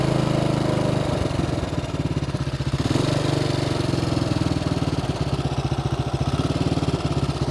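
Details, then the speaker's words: Bombardier Traxter 500 ATV single-cylinder with rebuilt carburetor, warm restart: quick, even thumping idle that sits too fast and never settles, because the previous owner had turned the throttle cable adjuster out too far; being readjusted. "I figured out what was going on the previous owner had adjusted this knob out so far that it was idling up too high the cable adjustment so now I need to bring it back up a little"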